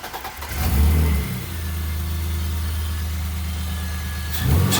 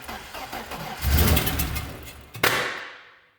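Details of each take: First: BMW E30 after reconnecting the idle control valve vacuum line that had caused intake backfires: fires straight up into a steady low idle, revs cleanly and settles back evenly with no misses; a healthy start. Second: BMW E30 first start: cranks, catches and stumbles, then a sharp pop coughs back through the intake; the cause is a disconnected vacuum line on the back of the intake to the idle control valve.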